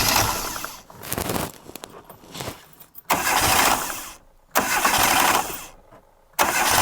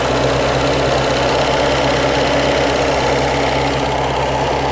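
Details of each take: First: 1998 Reliant Robin Mk2 barn find, freshly rebuilt carburetor, after refitting plug lead: catches in repeated bursts revving high instead of settling; high idle as rerouted throttle cable stops throttle fully closing. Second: 1998 Reliant Robin Mk2 barn-find petrol engine at steady, fairly even idle with soft rapid patter, no misfire or hunting, after carburettor rebuild and throttle return fix; no leaks, run without coolant.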